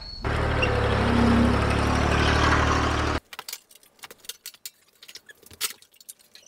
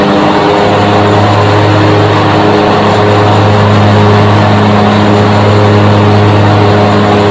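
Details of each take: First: 22-year-old Grasshopper mower (parts listed for 2001 721D2): engine drones under a gritty, rough hiss, like bearings replaced with gravel, then handling clicks; worn deck spindle bearings, with blade wobble, to be fixed by replacing the spindles. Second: 22-year-old 2001 Grasshopper 721D2 mower after replacing the deck spindles and blades, test run: steady, even deck and engine hum with no knocks or grinding, then a smooth spin-down; the deck runs smoothly again.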